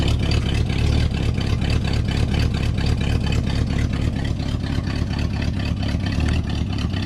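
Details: 1970 Pontiac Tempest V8 just revived with a temporary rigged fuel line and hot-wired coil: deep idle with an uneven, lumpy beat that hunts slightly, not the smoothest but running; rough idle.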